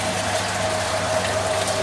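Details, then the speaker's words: Centrifugal pump with water at 20 °C and suction pressure lowered below the saturation vapour pressure: steady hum under a crackling, gravelly hiss as vapour bubbles enter the pump and collapse at higher pressure; cavitation. "but those that noise that you're hearing with the bubbles entering the pump and when it comes to the five pressure into the pump the bubbles collapsing inwards"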